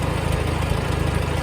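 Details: 1954 Farmall Super C tractor idling after a newly fitted eBay 6-volt starter was installed: steady, even low thumping with a regular firing beat and no misses or knocks. Normal idle.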